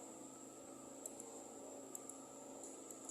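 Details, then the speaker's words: Honda Vario 150 that will not crank with the key on. Faint, sharp relay clicks come in pairs at uneven intervals with no cranking. The battery had been replaced twice without curing it; the cause was a loose relay connector, and it starts once the connector is pushed tight. "jadi suaranya itu bunyi cicak bagian sini di bagian relaynya jadi ini kurang rapat ya kita rapatkan dulu"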